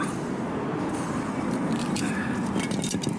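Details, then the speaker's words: Daihatsu Mira van alternator, removed and turned by hand with no engine running: dry, gritty rattle rising and falling; worn alternator bearing, not the suspected water pump, causes the motor-like noise; alternator replaced. "っちもベアリングがいっちゃってるんで、ガタガラガラガラ。これがモーター音みたいな音の原因です。"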